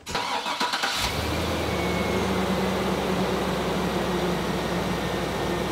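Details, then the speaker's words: Truck V8 (4L80E four-speed) after tightening leaking exhaust gasket: brief crank, catches, settles into smooth even idle, purrs with no exhaust ticking. Normal idle. "purrs like a kitten there's no ticking noise that's amazing"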